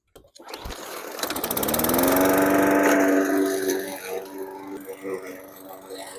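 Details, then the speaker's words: Hyper Tough 20-inch push mower after its broken blade was replaced and a wheel tightened; fires and settles to an even, steady drone without shake before winding down: runs smooth, vibration fixed. "let's crank it up, see if it runs smooth, if there's no vibration, and make sure it's good to go."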